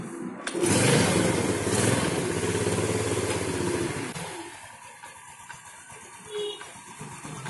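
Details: Yamaha Jupiter Z motorcycle, had intermittent harsh engine noise from the right side and gears that sometimes would not shift up. Cause was the clutch housing rubber; that and the clutch plates were replaced. After repair it starts and runs smoothly, with no clutch-side rattle.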